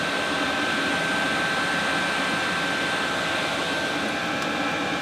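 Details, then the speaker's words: 8 kW Chinese diesel heater running in an insulated room near 46 degrees, display showing two bars, putting out warm but not hot air: even steady rushing blow with a thin constant whistle and no surging; running normally. "yeah we're definitely getting some warm air wouldn't say it's hot it's warm we still got the two bars"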